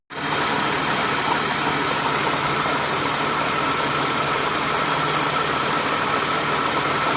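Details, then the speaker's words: 2008 Toyota Sienna minivan after new accessory belt, tensioner and idler pulleys: steady even idle with light engine ticking, no chirp, clicking or rattle from pulleys; normal, smooth belt drive. "If you hear the ticking sound, it's from the engine. But there's no... Yeah, it's smooth sound."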